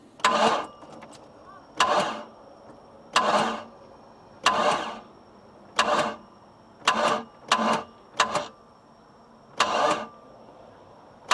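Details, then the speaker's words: Boat engine turned over several times on the starter, spinning fast and light with hardly any compression pulses; compression only reached 100 PSI with almost 100% leak-by audible at exhaust and intake, indicating leaking valves. "so what we did guys has turned the motor over several times I got this at 100 PSI we have almost 100% leak by I can hear it coming out of the exhaust and the intake right now and that's what you're listening for"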